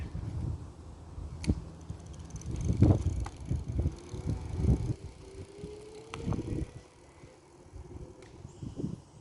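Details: Ancheer 36V 250W e-bike on throttle mode, battery not fully charged: faint smooth hub-motor whine rising with speed under tyre noise, no grinding or clicking; motor running normally.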